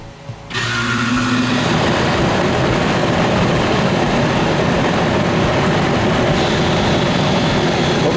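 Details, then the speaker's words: Central air conditioner outdoor unit after replacing the swollen, overheated capacitor that kept the motor from starting: kicks on cleanly into a steady, even whoosh and hum with no struggling buzz; runs normally now. "As you can see, it's working. And all it was this capacitor."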